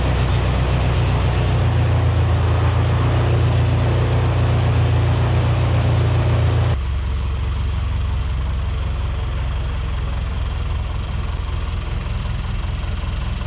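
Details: 1977 Yale forklift, starting and running again after repairs: deep, steady idle with an even low beat, settling slightly quieter partway through, smooth and healthy. Owner notes earlier occasional pre-ignition knock and dieseling and plans a timing check.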